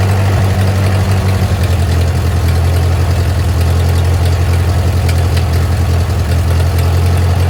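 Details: Ford 8N tractor revived after sitting over five years, choke mostly closed: heavy low idle with a loose, somewhat irregular pulse around three to four beats a second, fairly steady but not quite even.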